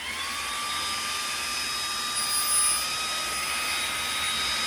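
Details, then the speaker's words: xTool D1 Pro 40 W laser engraver running while engraving on glass; steady high whine with hiss and no change in pitch, very loud, much louder than the 20 W version. "what I really wanted to show you is how loud it is I'm sorry the 20 watt 40 watt that thing is so damn loud"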